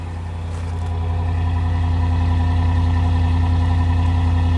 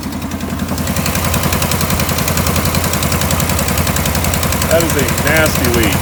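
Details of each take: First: 2015 RAM 5.7 HEMI V8 idling smoothly and quietly with a deep even exhaust pulse after aftermarket headers fitted and a Fel-Pro gasket replaced a leaking kit gasket, curing the passenger-side exhaust manifold leak. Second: 2015 RAM 5.7 HEMI at idle after installing aftermarket DIY headers with new studs and gaskets: sharp, steady puffing tick at firing rhythm from an exhaust leak at the passenger-side header gasket; driver side quiet.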